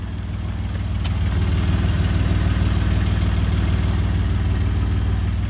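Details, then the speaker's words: 1994 Toyota pickup 3.0 V6 idling after timing fix, catalytic converter fitted; loud low rhythmic puffing from underneath due to an exhaust leak, clutch needs bleeding, injectors may need cleaning. "Like I said, it does have an exhaust leak, so it sounds kind of loud."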